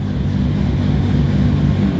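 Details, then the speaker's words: Nissan R32 GTR at first start after an overhaul with new ID1700 injectors, a new power steering pump and rack: smooth, steady idle with an even low rumble, no knocks, misses or hunting. Sounds healthier than before. Normal idle. "it sounds really healthy actually like even healthier than previously which is really good"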